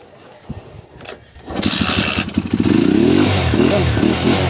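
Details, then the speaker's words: Skygo motorcycle with primary-type ignition, hard to start after water got in, weak spark: catches after a few cranks then runs with an uneven, surging beat that dips and recovers; cutting out under throttle, being converted to battery-operated CDI. "pero nagpuputol-putol yung piga niya. Ito na yon. So pinasok lang po ng tubig dito pero nakita niyo naman yung kuryente niya mahina yan yon."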